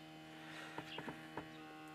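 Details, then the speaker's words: Electric pump hums steadily and constantly with faint clicks after master switch and ignition key on; it won't switch off with the key, only by cutting the master; owner tried a wire, suspects ignition switch, unconfirmed. "і тут прикол такий що чуєте насос постійно Гуде і получається цим ключом що ди що сюди Воно короче не виключається"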